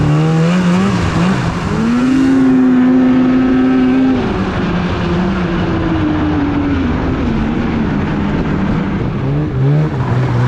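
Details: 2016 Polaris Indy 600 SP two-stroke snowmobile after replacing a plugged fuel filter and Ultimax belt: strong howl climbs, holds and eases off smoothly under wind, no stumble or bogging; pulls cleanly.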